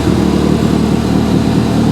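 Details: Stolen-recovered Ford Fiesta ST180 started on newly programmed keys, running with no exhaust and no coolant: loud, raw, unsilenced roar but steady and even, no misses, knocks or ticks; the engine runs fine.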